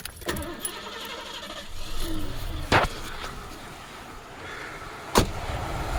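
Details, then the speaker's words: 80s Lincoln Town Car V8 started after deleting the malfunctioning smog equipment, ports capped and plugged: quiet start then low steady idle, no knocks or misses; owner says it runs as good or better without it; normal start and idle. "See, it runs smooth. Runs just as good, if not better, without it."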